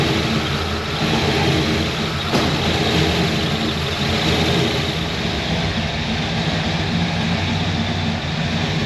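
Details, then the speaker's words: Supercharged Chevrolet C10, running after fixing vacuum leaks, timing and starter, first drive: loud, steady deep roar with heavy low rumble, no knocks or rattles, much louder than before; normal running. "Good grief, that sucker's loud."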